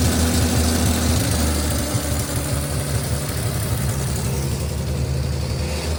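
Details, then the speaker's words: 1955 Chevy 3200 truck idling after about 50 years sitting, with a muffler rusted out underneath blowing dust and heavy smoke: low, uneven, lumpy idle with a steady rumble, running rough after long storage; cause not confirmed. "It's idling. There's less smoke. A lot of it's also going to be dust because the muffler is completely rusted out on the bottom."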